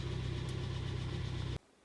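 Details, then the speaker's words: 2011 Hyundai ix35 G4KD engine with very strong knock hot and cold: hard, regular knock rattling over idle, piston knock from scuffed cylinder walls. "Добрый день Сегодня у нас тридцать пятый Как вы слышали тарабанит неплохо прям очень неплохо моментами"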